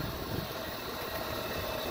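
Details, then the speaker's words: 1998 Club Car DS golf cart after the transaxle noise fix, with silicone applied to the splines and oil stabilizer added to the differential: soft, even whir and low rumble with no clatter; the spline racket is gone and the drive is quiet. "those splines is where that racket most of that racket was coming from and she's just so quiet we can sneak up on people now that is amazing"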